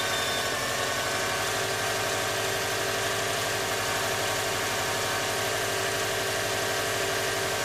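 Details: Cold morning start: steady engine idle with a dense, even rubbing hiss coming from the rear of the engine, not the fan belt at the front. The cause is unknown.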